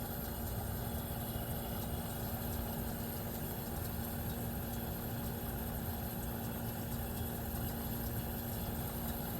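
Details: 1973 Westinghouse 25-pint heavy-duty dehumidifier, just acquired after sitting in a cabinet shop, running normally with frost on the evaporator: steady even hum, constant low tone and fan rush, no knocking or rattling; sealed fan motor starting to slow, needs oiling.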